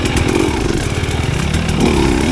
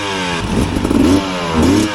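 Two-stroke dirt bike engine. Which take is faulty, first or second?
second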